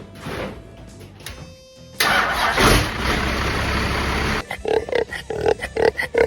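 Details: First-gen 5.9 12-valve Cummins swapped into a 1969 Dodge D200 Sweptline, cold start at 23°F with grid heaters: cranks, catches and roars up, then settles into a loud uneven run as it warms. A normal diesel cold start.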